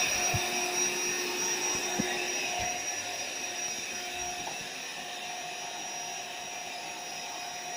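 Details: AeroBed Deluxe Raised double air bed, built-in electric pump nearly finished inflating, pinhole leak suspected near the bottom: steady high-pitched hum and constant whine, load easing slightly as the bed fills; pump sounds healthy.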